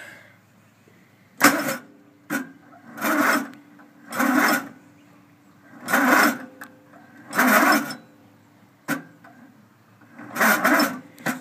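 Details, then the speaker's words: Murray riding mower/tractor with choke pulled: seven or eight roughly one-second cranking bursts with pauses, never catches; cranks but won't start. "it ain't going to start like that have to resort to Extreme"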